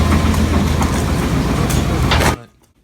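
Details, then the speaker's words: 1999 Chevy Suburban, 350 5.7L Vortec V8, about 242,000–246,000 miles, run out of oil through a cracked part while towing a boat: heavy rough rumble with hard rod knock from multiple spun rod bearings and a damaged crankshaft; engine replaced. "we found that out when we got there after the oil pressure gauge went all wonky because well no oil and now started knocking"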